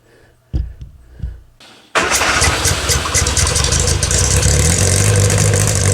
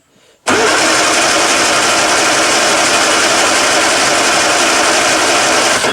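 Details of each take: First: 1962 Austin Healey Sprite Mk2 with the 948cc engine, at its first start in over 40 years: a few cranks, then it catches and settles into a steady, even run with light revs; sounds healthy. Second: 1962 Austin-Healey Sprite Mk2, 948 cc engine, unrun for over 40 years: about five seconds of steady starter churning with no firing stroke. It cranks but won't start because of fuel starvation from dry carburettors, so the owner plans to add fuel next.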